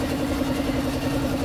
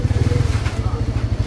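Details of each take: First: Engine after rebuild with a new forged connecting rod, fixing piston slap and a worn connecting rod: quick, even idle beat with steady mid tone and no knocking or slapping; quiet, smooth bottom end; normal idle. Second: Single-cylinder motorcycle idling, engine heats quickly and head is noisy: heavy, regular metallic knock every turn, pinging like piston slap, suspected from the connecting rod pending teardown.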